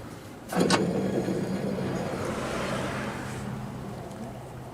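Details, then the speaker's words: 1987 John Deere 160 mower deck spindle (Fafnir 204RR6 sealed bearing) spun by hand gives a rough, gritty whirr that dies away as it coasts; dry spindle bearing identified as the noise maker. "I'm thinking this one's probably making a racket. Let's start with that, but I think we found it over here."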